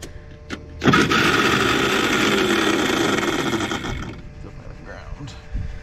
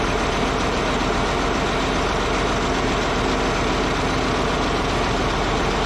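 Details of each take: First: Caterpillar D8H bulldozer sat 15+ years, pony starter motor cranking on a jump pack: slow, labored, dragging, uneven whir about four cranks a second, doesn't sound good; starter brushes sticking, starter to be pulled. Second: Caterpillar D8H bulldozer diesel, revived after sitting 15+ years: steady, even idle rumble with no knocks, misses or surging; running good.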